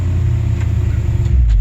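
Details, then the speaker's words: Ford F-150 with Summit Racing Windsor 302 V8, just after fitting a Holley Sniper EFI in place of a FiTech that missed and stumbled; short deep even rumble with no misses or knocks; runs like a different truck; normal running. "literally just onboard one put one in and it's like a different truck"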